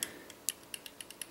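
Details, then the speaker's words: Magpul PTS airsoft gearbox, bevel-to-pinion adjustment screwed down one turn, gear turned by hand with a screwdriver: sharp light ticks about eight a second, teeth rattling from loose bevel-to-pinion mesh, gear turns very easily. "hear the rattling between teeth the teeth here and if you rotate it I don't really know how well you can see that on camera from here especially my hand in the way anyways if you rotate it with the screwdriver you can see it's really easy to turn right there"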